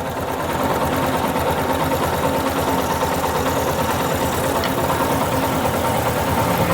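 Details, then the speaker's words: Yamaha Fazer 250 single idling: fast light metallic rattle about three a second over the beat; cam chain tensioner noise, confirmed if turning the tensioner anticlockwise with a screwdriver stops it. "você vai fazer o seguinte movimento sentido anti horário pra ver se o barulho para se parar o barulho é porque realmente é aqui o acionador da corrente"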